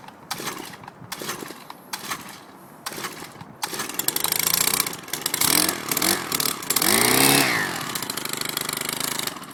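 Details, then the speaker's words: Stihl HL-100 two-stroke, hot engine, no choke used: several sharp pull-cord rasps, then catches late and revs raggedly; hard starting when hot, normally easier, owner says heat makes it choke up. "Normally it's a little easier to start up. It's hot, so it kind of chokes up."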